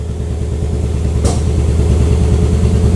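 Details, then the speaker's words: 2003 Pontiac Vibe GT coil-on-plug engine at idle: lumpy, uneven idle with stumbling low beat and occasional pop, muffler shaking; scan data shows cylinder 2 misfire, coil or spark plug to be checked. "you can hear that thing sounding completely different and you can occasionally hear it pop that's going to be a misfire"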